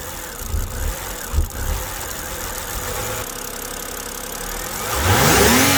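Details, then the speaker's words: BMW E90 after its no-start was fixed: a long grinding crank before it catches and flares, then an uneven, lumpy idle. A vacuum leak, bad coil or bad spark plug is suspected but not confirmed. "well that fixed our starting issue but you could still kind of see and hear that the car is suffering from something like either like a vacuum leak or a bad coil or a bad spark plug something like that so it's not really happy at idle"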